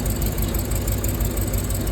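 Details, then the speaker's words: Rolls-Royce Silver Cloud S2 V8 idling: low, lumpy uneven beat with two cylinders on one side misfiring. "2 of the cylinders on this side have a misfire."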